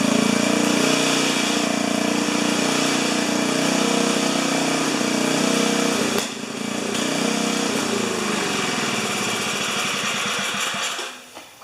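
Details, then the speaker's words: 4HP horizontal Briggs & Stratton small engine, first fire-up after the fire, muffler screwed in at 45 degrees, broken studs: it screams at a high steady buzz with no speed control, then sags and dies. The governor isn't connected to the throttle arm. "for a first fire up i say that was memorable uh i forgot to connect the governor to the throttle arm so that got a little exciting"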